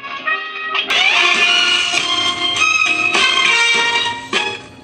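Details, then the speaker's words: Solid-state vintage Magnavox console record player, volume wide open: music plays thin and tinny with bass doing absolutely nothing; cartridge ground or bad cartridge suspected; no bass output. "So the bass is doing absolutely nothing. I know it's sometimes the cameras don't pick up changes in bass, but it's not doing anything. Absolutely nothing."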